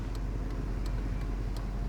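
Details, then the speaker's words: 1997 Chevy OBS 1500 pickup just bought, possibly wrecked: sharp, light steady ticks about three per second over low engine rumble; owner says it sounds like a blinker but source unknown. "I don't know what that ticking noise is though."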